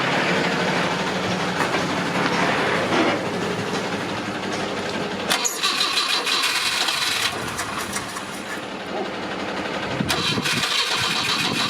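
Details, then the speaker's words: Mk1 Ford Cortina with its original 1200 engine, points cleaned, spark present and E85 poured into the carburettor: the starter spins the engine steadily at about three turns a second but it never catches. Suspected fuel starvation; it had fired a couple of times. "It's got a spark. We've had it fire a couple of times, but hopefully now it can pull a bit of fuel up."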